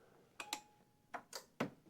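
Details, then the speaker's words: Troy-Bilt TB30R rear-engine riding mower, no-click no-start, on a jump pack; a single sharp click from the engine side at each key-on, showing voltage is reaching the solenoid. "You can hear a click coming from the engine side. As I turn this on and off, on, there's a click coming from where the engine is. That means we have voltage to this."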